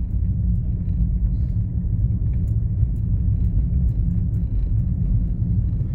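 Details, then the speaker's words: VW Polo (Polo/Fox line) driving down a street after replacing the front control-arm ball joint and bushings: steady low road rumble, no knocks; front now quiet, a remaining tap from the rear, owner unsure if rear axle bushing or rear shock mount. "Olha o silêncio tem um toque vindo lá de trás eu ainda tenho que ver se a bucha da do eixo ou se é coxim do amortecedor traseiro Mas acabou aquela barulheira que tinha"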